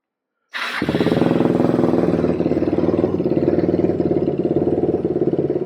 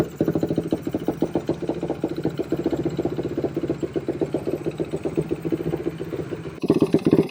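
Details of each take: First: Suzuki Quadracer LTR450 single-cylinder quad after cleaning dirty fuel injection and removing the inline filter, back from a road run: starts first crank, steady even idle about three beats a second, no misses; running fine. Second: Suzuki Quadracer LTR450 single-cylinder quad that won't take throttle, likely loaded up from cranking: runs ragged, stumbles, pops and backfires when throttled; fuel starvation.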